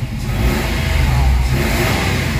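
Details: Mitsubishi Mirage, previously throttle delay and low power, after Hado engine treatment and atomic oil, revved from about 1,000 through 1,500–2,000 rpm toward 2,800: picks up quickly with strong even revs, no hesitation or bogging; normal revving.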